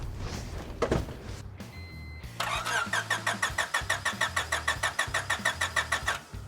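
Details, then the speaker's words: Honda Civic hatchback, parked but said to have run when parked, oil and coolant OK: starter spins the engine at about three pulses a second for four seconds without catching; cranks but won't start, with fuel and spark still to be checked. "got nothing all right um let's just start checking if there's Fuel and Spark and all that stuff"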